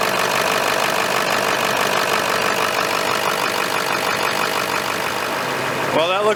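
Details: 2001 Ford F-350 Dually 7.3 L diesel after replacing the high-pressure oil line feeding the fuel injectors, no oil leaking: steady, smooth diesel clatter at an even idle, no misses or knocks; normal diesel idle.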